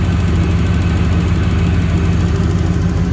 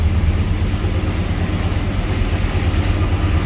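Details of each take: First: 1992 Trans Am, warm, after replacing leaking injectors and setting fuel pressure to 43 psi: steady smooth idle with a light quick even ticking from the new fuel injectors. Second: 1992 Trans Am that had been misfiring and running very rich, unburned fuel still in the exhaust: deep, uneven V8 rumble with a ragged puffing roughness at idle from a hole in the exhaust ahead of the catalytic converter.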